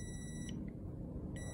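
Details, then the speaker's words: Five-pin relay with two 87 terminals, coil energised: two clear meter beeps, short then longer, show continuity from 30 to the 87s through the closed contacts. The relay is working properly. "okay so it means this relay is working properly as well"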